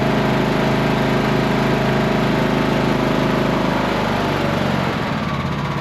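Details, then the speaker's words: Cub Cadet lawn tractor mower after new starter, just past a startup backfire with black smoke that cleared: small single-cylinder engine runs steady and even, no misses; running fine. "And it gave a real loud backfire, bunch of black smoke, but it cleared right up, and it sounds like it's running pretty"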